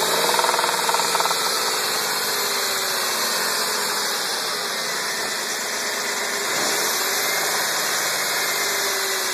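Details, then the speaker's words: 1999 Dodge Intrepid 2.7 V6 first cold start of the day with a regular knock of about four per second over its hiss; owner says it happens only when the intake kicks in, and sometimes it won't crank. "It only does it when the intake kicks in and it's breathing in air."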